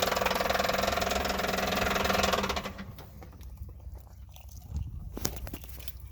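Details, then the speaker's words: Chevy Impala engine runs with rough, rhythmic clatter about three to four beats a second, then cuts out; clearly abnormal internal noise, engine believed toast. "started it up already dude very unspecial noises coming from this thing dude"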